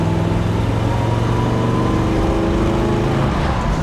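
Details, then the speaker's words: 1967 Chevrolet Impala SS, 396 big block with Muncie 4-speed, driven on road at about 60°F: deep steady rumble under load climbing smoothly with speed, no knocks, misses or rattles; shifting buttery, healthy engine pulling effortlessly. "Oh, and this 396 sounds good. The shifting's buttery."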